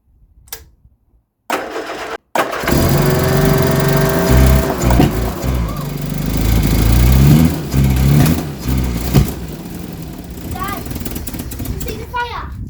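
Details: 1975 Vauxhall Viva HC, last on the road in 1991, first start attempt after carburettor work: short cranking bursts, then catches and runs unevenly several seconds before shutting off.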